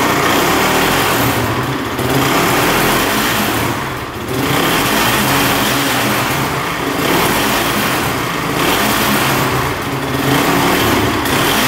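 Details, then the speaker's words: Honda TRX450 quad that bogs and won't rev out, cold start on choke: uneven running surging and dipping, heavy chattering from the top end, keeps shutting off; possibly flooding, cause unconfirmed. "start it up you can hear a lot of chattering in the top end see if he fires back up but yeah it's not running right for sure"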